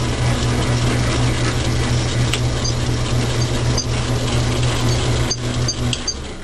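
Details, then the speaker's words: Logan lathe turning a railroad spike steel bar with interrupted cut: steady low gear drone with irregular light ticking clatter; homemade change-gear idler stud had worked loose and wiggled, fixed by tightening it. "I found out what happened. That stud I made there in the back was loose and wiggling around. It didn't like to interrupted cut apparently and loosen it up."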